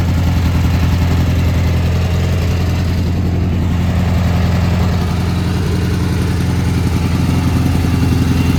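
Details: Gravely G-16 tractor, late 80s–90s, unrun for a few years, now running on its own fuel: steady even twin-cylinder thrum, no knock, miss or hunting; runs and drives pretty well, smokes a little.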